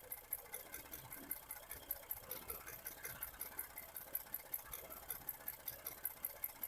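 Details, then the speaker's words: 2012 Ford F-150 3.5L EcoBoost, 296k miles, random misfires: idling engine with cylinder two's coil-on-plug lifted off the plug, sharp crisp spark snaps showing a good strong coil. "Cylinder number two. Come out of there. There's the good strong one."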